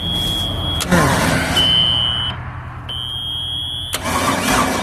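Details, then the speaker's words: Long-sitting ski boat with 350 Chevy V8, water found in the fuel tank, very old fuel: starter grinds in uneven bursts, engine turns over but never catches; no start, cause unconfirmed, compression test next. "Sounds like it's about to hit fire. It might backfire. That stuff's so old and so bad."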